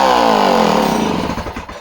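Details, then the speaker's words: Homelite C51 chainsaw returned as a non-runner: instant prime, instant fire, and the buzz runs down smoothly with no popping or backfire. The ignition is judged okay. "Okay, so no backfire, instant prime, instant fire. So I'm going to say the ignition is okay."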